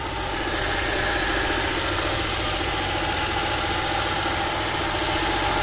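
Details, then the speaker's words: Honda EK VTi sedan with the D16Y5 VTEC engine and CVT, first start on a cold day: it idles smoothly but with a steady airy hiss. The owner suspects a vacuum leak; unconfirmed. "so straight away you can hear it running pretty smooth but there's definitely a vacuum leak so that's going to be a bit of a troubleshooting for class"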